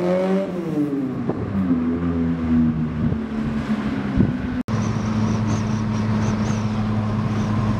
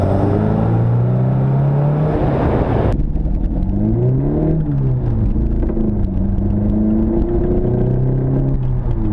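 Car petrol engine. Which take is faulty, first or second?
second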